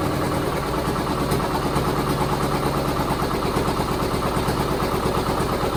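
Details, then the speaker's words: 1968 Bolens Husky 775 lawn tractor with swapped Hatz 1B30 V single-cylinder diesel, after replacing failed flywheel-to-crankshaft bolts with 12.9 bolts at correct torque; even thumping beat about three pulses a second, no knocks, running fine. "replacing them with 12.9 strength bolts and tightening them with the correct torque the issue was solved and the engine did run fine"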